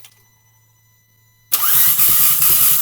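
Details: Audi A3, plugs flooded except dry cylinder 2, zero compression on all cylinders, earlier knock suspected from cam phaser or timing chain: after a pause the starter spins fast and free with no compression chug; timing chain snapped.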